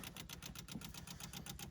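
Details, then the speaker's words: 1972 Rover 3500 P6 V8 barn find, sat 6 to 10 years, mice in air filters, first fuel fill: electric fuel pump priming with quick, even ticking about eight times a second; everything seems fine. "Electric fuel pump. Ticking away. Everything seems fine."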